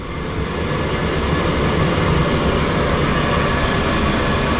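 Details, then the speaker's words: Cabola diesel heater in the back of a boat, hatch opened, running on shore power: a steady, even roar with a constant low rumble and no surging, popping or misfire; burning normally. "but as you can probably hear she's running right now and that's cool but she will only run with SH power"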